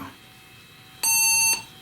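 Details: Compaq LTE 5000 laptop after a NiMH battery rebuild, powered on: a single clean, high half-second beep with nothing following, and no dead CMOS battery error. It passes its self-test normally.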